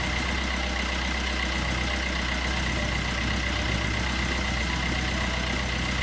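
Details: 2012 Peugeot Bipper diesel after timing chain kit replacement (guide had almost broken off, was noisy): steady, even idle, no rattle or chain slap; ticks over quietly and healthy.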